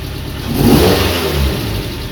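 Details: Mazda NC Miata with swapped 2.5 engine, first startup after clogged 2.5 injectors had caused a no-fuel no-start. Engine catches, rises in a smooth rev, then settles to an even, steady idle with no knocks or misses; healthy.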